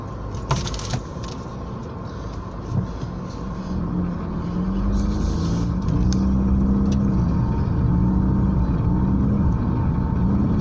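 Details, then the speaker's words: Older, long-used car on road test after repair of an engine noise: steady low hum rising gently with speed, only mild vibration, no knocks or whine; owner judges noise gone and vibration normal for age. "yung ingay na lang niya, yung vibrate na lang ng ano, ng makina, na which is normal na kasi ano na siya, medyo may pagkalumaan na siya na makina."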